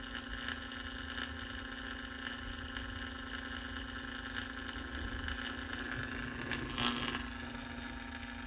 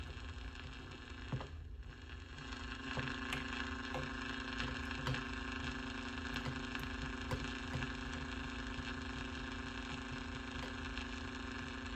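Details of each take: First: 1949 Packard Bell AA5 Model 100A radio powered up to 120 V on a variac after component replacement: steady low hum and faint crackle, no stations received; cause was a lead accidentally cut while testing resistors. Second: 1949 Packard Bell AA5 Model 100A countertop radio on a variac, slowly brought up to about 90 V during restoration power-up: faint steady hum with scattered crackles and pops through the speaker as the set warms; crackling taken as a good sign.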